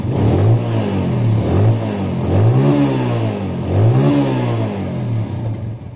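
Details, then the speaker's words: Yamaha Jupiter Z after fixing no idle, hard starting and black plug: single-cylinder thump settles to steady idle, blips rise and fall cleanly; normal idle and revving, now starts with one kick. "suaranya langsung beda ya langsung langsam sekarang ya Oke coba kita Steele ini kita cari putaran paling stabil ya my god langsamnya langsung enak ya sekarang ya ya"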